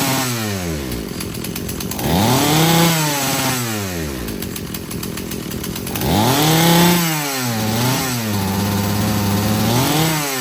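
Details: Husqvarna chainsaw being rebuilt after not running, disconnected fuel hose just reattached: revs sag and wobble as throttle opens off idle before climbing, fine at wide open on the high-speed jet; stumble on acceleration from rich low-speed mixture.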